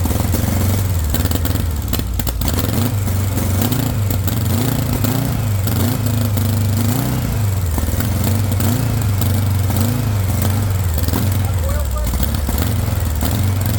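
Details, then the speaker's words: VW engine with straight pipe, first startup on starting spray at about 3,500 rpm; revs surge up and down and never settle, with no fuel pressure and a bad fuel pump suspected. Oil pressure rose to about 40. Engine surging from fuel starvation. "I don't think it's getting fuel yet, which is. That was like 3,500 RPM when you were running it."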